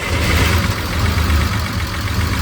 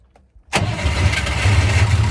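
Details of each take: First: Unimog, bought over 4 years ago and long sitting, started with battery charge in doubt. Low, loud idle with an uneven, lumpy throb instead of a smooth beat. Owner thinks it might be misfiring a little. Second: Unimog with a 24-volt system, started after fitting a Jeep battery as the second battery. Brisk crank fires almost instantly into a deep, steady idle; starts strongly with two batteries. Still doesn't seem to fire on all cylinders.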